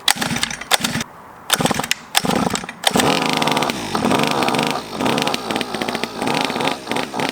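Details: 50cc Chinese pocket bike two-stroke, after choke and starting fluid: coughs through several pulls, then catches and buzzes steadily with light throttle blips; running normally.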